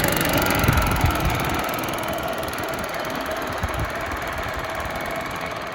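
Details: Yamaha golf cart that sat 6–7 years, revived and driving toward home: steady small-engine drone under road and wind noise, no knocks or misses, pulls evenly; normal running while driving.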